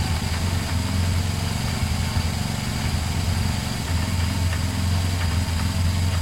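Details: Twin-cylinder motorcycle started after refitting a fallen second earth wire on the battery: steady, even, low-pitched idle with a regular throb and no ticking or knocking; idles fine.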